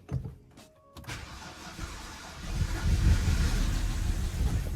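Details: BMW E90, no-start with P0300 and low compression traced to loose bearing cap bolts, first start after tightening and refitting 30 A fuse, valve cover off: quiet second then catches and settles into steady, even run with no misfire; starts cleanly.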